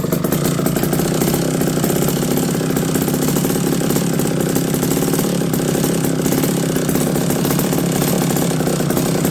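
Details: McCulloch D30 vintage chainsaw after MC5 carburetor rebuild: fast, even two-stroke burble holding a steady idle without surging or stalling; carburetor set right, idling healthily.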